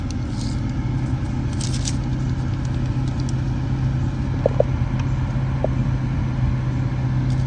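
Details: 2013–2018 Nissan Sentra after blower motor replacement, AC compressor on, 78° afternoon: steady, even rush of air with a low constant hum and no rattles, chirps or squeal at medium fan speed. Normal blower operation.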